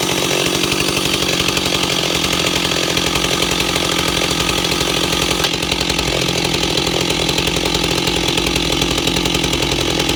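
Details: Ported Stihl 028 Wood Boss after carburetor-to-intake gasket fix, tired clutch springs; steady even idle around 2400–2600 rpm with slight rise and fall, no stumbling or hunting: normal idle.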